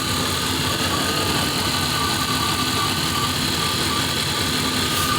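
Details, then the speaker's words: Engine idling near operating temperature after new radiator, with water pump back on and reused bypass hose: smooth even idle, steady hum, no ticking, knocking or misses; running a whole lot smoother, heater output still not warm. "Thing sounds a lot smoother. Whole lot smoother."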